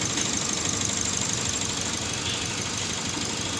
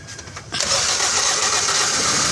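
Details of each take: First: Toyota Vios that would crank but not start, now running after repairs, not yet warmed up; idles unevenly with a pulsing of about three beats a second, a slight misfire; spark plugs to be checked. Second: Toyota Vios that cranked but would not start after owner DIY work: petrol engine catches abruptly and runs steadily after the head/body ground was reconnected; fuel pump hose had also been left disconnected.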